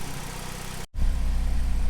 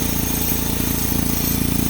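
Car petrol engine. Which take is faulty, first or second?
second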